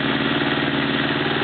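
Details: Honda CB650 four-cylinder, warmed up after carburetor clean and oil change; steady idle with a light, regular tick in the background, source unknown to owner; ticking at idle.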